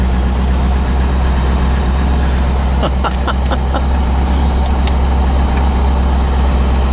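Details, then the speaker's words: 1985 Chevrolet C4 Corvette after fixing poor negative battery cable connection that caused no-start: low, smooth, even idle with steady rumble, no knocks or misses; battery charging, oil pressure and rpm good; normal idle. "but now it's working and as you can hear running"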